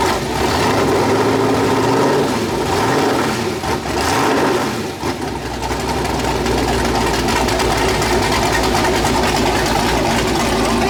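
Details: First start of a freshly built 408 LS stroker V8 on a new ECU, air-fuel around 13.3, possibly a touch lean: loud, choppy idle with an uneven loping beat under steady exhaust roar; healthy engine with a big camshaft.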